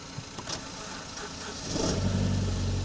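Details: BMW E90 at about 142,000 km, battery terminal/pyrofuse box removed by previous owner, jump-started with cables: brief quiet, then the engine catches at once and settles into a steady, even idle; healthy start.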